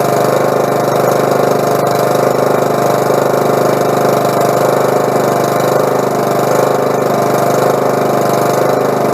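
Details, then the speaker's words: Husqvarna lawn mower after carburetor cleaning (fuel had been running through the carb into the exhaust): idles at a steady, even beat with no misses or hunting; some smoke expected as drained gas burns off. "but i mean what i've been it took me 20 minutes and uh the motor starts right up"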